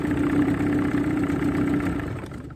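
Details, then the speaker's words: Johnson 20 two-stroke outboard running in a test bucket of water after a new water pump, head gasket and water cover gasket. It starts and idles with a steady buzzy burble, no misfires or rattles, and the tell-tale pees strongly. Normal idle. "There you go, that's going nice. Yeah, seems to be peeing like an alcoholic after they've broken the seal."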